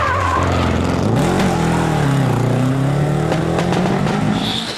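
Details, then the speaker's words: Sunbeam rally car with alternator trouble, revving under load on a stage: uneven, stumbling note, a misfire blamed on the alternator fault. "It hasn't been an easy morning for Geoffrey with alternator trouble. Just listen for this misfire."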